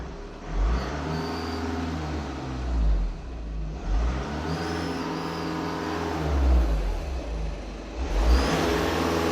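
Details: Turbo whistle: a thin high whistle rises and falls with each throttle blip over the engine note; the turbo is warped near cylinders 1 and 4.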